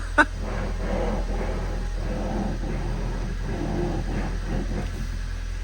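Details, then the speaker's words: Ford Focus with failed electric power steering rack, suspected internal motor fault: repeated groaning surges over a low steady hum each time the wheel is turned; power steering noise when turning, rack to be replaced. "so yeah that's our problem um and that's obviously the steering rack going backs and forwards"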